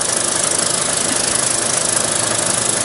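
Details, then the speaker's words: Terry Surma vacuum former with the part sucked down and the die up: a steady airy hiss with an even pulse of about four beats a second from the vacuum pump and the fan cooling the part. Normal operation. "So this will stay on, and the die will stay up until the fan has run its course to cool the part"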